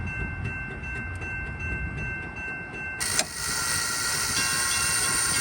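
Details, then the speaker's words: Railroad crossing gate mechanism on low supply voltage: rapid uneven chatter, about three a second, as the motor energizes and de-energizes without enough voltage to lift the gate. "it's energizing and de-energizing pretty rapidly plus there's enough voltage to actually run it it will then pick up the gate"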